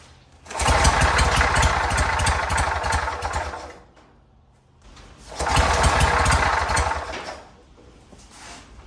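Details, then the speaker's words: 1967 Army generator, 2-cylinder 3 hp, first run after fuel system work, spun with a drill: two bursts of ragged popping trying to catch but dying; engine flooded, spark plugs wet. "Yeah, I got it flooded real good, so took the spark plugs out."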